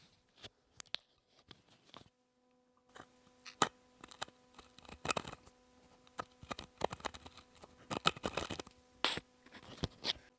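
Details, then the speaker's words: Glider rocker (nursery glider) stem bearing, very rough and worn, turned slowly by hand with the microphone close. Irregular gritty crunching and scratchy clicks: a grinding worn bearing that needs replacing. "But this is a really rough bearing. I'm going to move my microphone close to this to see if you can hear the grinding sound."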